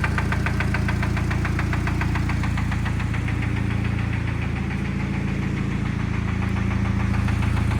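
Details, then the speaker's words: Cheap Honda Civic with a blown engine at idle: sharp, regular knock about four times a second from inside the engine; engine needs replacing. "but guys probably already hear it definitely knocking"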